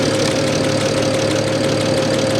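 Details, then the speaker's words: Idle heard under the hood of a salvage-auction car; alternator charging. Steady idle with a light, busy rattle and no speed change; rattly running, cause unclear. "Under the hood. Sounds a little rattly to me. I don't know. You guys tell me what you think."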